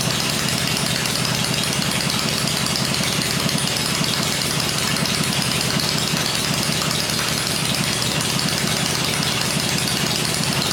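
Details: 96-inch V-twin with Edelbrock heads on engine stand, first run with choke, 40 psi oil pressure; even loping idle, no knocking or clatter, quiet and healthy.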